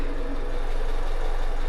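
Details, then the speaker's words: Honda Civic after head gasket repair and new coil packs, which were found by swapping packs as the misfire followed them: a petrol engine idling smoothly with a steady, even hum. The scan shows no more misfires, but a puddle shows a leak remains. "And so anywho, it's running right now. I'll let you hear it and judge for yourself. All right, and then show you the well, let's just do an auto scan of it. Alright, no more misfires,"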